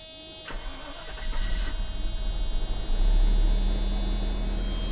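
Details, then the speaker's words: 1990 Mercedes 560SEC with new spark plugs and swapped plug wires corrected, started without air cleaner: brief cranking, catches within seconds, settles into smooth, even idle with no misfire; clean start. "Oh, yeah, baby. She is so smooth."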